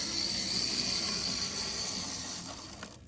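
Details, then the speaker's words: 1964 Athearn F-unit model locomotive, first Athearn gear drive, running forward on DCC: faint, thin, steady high motor whine over soft hiss, then fading; running smoothly. "Number three, we're going to go forward with it. Light is it going? Oh, yeah. And there's there it is. That's DCC in a nutshell."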